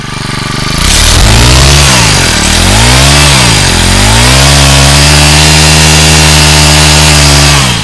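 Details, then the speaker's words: Used Honda GX35 brush cutter, rebored cylinder, new piston, rings, carburetor, air filter and clutch, tested before shipping: picks up cleanly, revs smoothly, holds a high even note, no smoke: normal revving. "เดี๋ยวจะทำการเทสก่อนการจัดส่งอ่ะลองสตาร์ทดูสตาร์ทติดง่ายนะครับลองเร่งดู"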